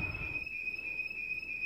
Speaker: okay it is set off you might or might not be able to hear it at this point it's it's kind of loud I mean you can definitely hear it you'll probably wake up